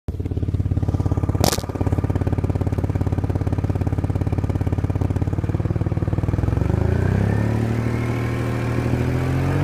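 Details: 2002 Audi allroad 2.7 twin turbo idling, then revving: raspy, puffing exhaust pulse from an exhaust leak in the driver side flex pipe.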